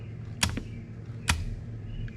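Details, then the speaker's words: 1972 Plymouth Valiant 318 with rebuilt Holley 600 carburetor, choke disabled open; throttle released gives crisp metallic snaps as linkage returns fully to idle stop every time, normal throttle return. "it's all the way back you can hear it snap up against that stop if you let off it slow it comes back all the way every time so life is pretty good there"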